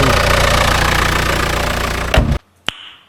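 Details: 2008 Audi A6 with DPF warning, oil pressure concerns and shaking under acceleration, just started: fast, uneven tapping roughly three to four a second at idle until shut off; knock at idle, cause unknown.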